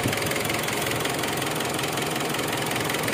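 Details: Mitsubishi Strada Triton GLS common-rail diesel after repairing its no-start fault: even diesel clatter at steady idle, regular beat, no misses or extra knocks; normal diesel idle.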